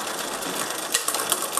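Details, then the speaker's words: Misadjusted rear derailleur on an MTB/road bike, shifting to third sprocket from bottom: fast metallic chain clatter with sharp irregular clicks as the chain jumps wildly between sprockets and skips. "eigentlich wollte ich jetzt auf dem dritten Ritzel von unten sein aber es springt einfach wie wild oben dürfte es noch schlimmer werden dann fängt die Kette an zu hüpfen"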